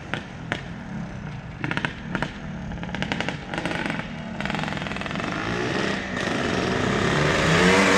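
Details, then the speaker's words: 1981 Yamaha YZ465 two-stroke, first ride after restoration: uneven, blubbery crackle off the bottom clearing into a rising harsh wail under throttle; rough running, jetting suspected too fat, needs tuning. "Sounds like the jetting's a little fat, but we'll get them straightened out. Sounds like it needs a wizard tune."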